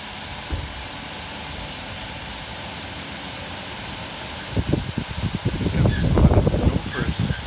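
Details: Miele Honeycomb Care W418 5 kg washer, empty drum spinning up to 1600 rpm with bricks removed: quiet hum, then rapid irregular thumps and knocking build; loud without load, owner suspects a broken spider.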